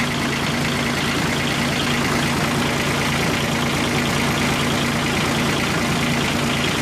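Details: Kubota G1800 tractor diesel, rebuilt engine back in tractor after about 2 hours mowing, oil plug leak fixed: steady even clatter, no misses or knocks; running good.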